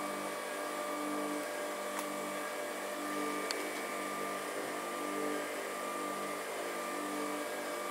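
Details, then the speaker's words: Rimoldi 065-34-22 lace sewing machine, saved from scrap and cleaned of dust, running with lace fitted: soft, steady motor hum with faint even whir, no knocking or grinding; beautifully quiet. "Steady as she goes. The motor's beautifully quiet. How quiet is that?"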